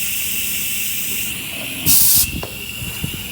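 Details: Audi TT 1.8T 20v APX engine with K04 turbo in a Karmann Ghia drag car on the dyno, compressed-air boost leak test: sharp third-second burst of high-pitched hiss as boost escapes at the diverter valve diaphragm joint.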